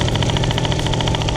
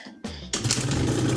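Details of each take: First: Warm Piaggio Typhoon two-stroke scooter carburettor, air mixture screw backed out about 2 turns anti-clockwise; fast, even buzz well above normal tickover, no dips; idling really high from lean mixture, idle screw untouched. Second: Piaggio Typhoon two-stroke scooter after carburetor cleaning, kick-started: catches straight away, settling into a crisp steady buzz that picks up cleanly on throttle; running much better, before mixture screw adjustment.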